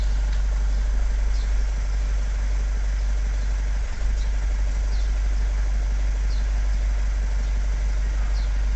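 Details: Vauxhall Vivaro diesel van (Renault Trafic/Nissan Primastar twin) that would not start after clutch replacement, now started straight away once the engine ECU power supply was fixed: steady low rumble at idle, even beat, no misfire or stumble. Normal idle.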